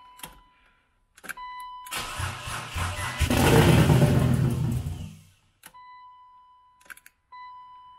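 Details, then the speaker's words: Turbo BMW E36 build, first start-up on a jump pack, throttle cable faulty so no revving; starter cranks about a second, catches with a deep, lumpy roar and runs a couple of seconds before cutting out as the battery dies; normal engine start-up. "sounds like a v8 like a nascar truck"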